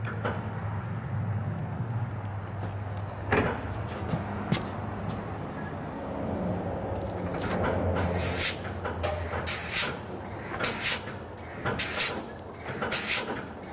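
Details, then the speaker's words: Volvo VNL 780 air-assisted hydraulic clutch, truck off with air pressure, pedal pushed by hand: five short sharp air hisses from the hydraulic slave cylinder about once a second; normal air release. "all right so that was me mashing the clutch pedal now hopefully you could hear it down there like i say it's a very easy clutch pedal for for a semi"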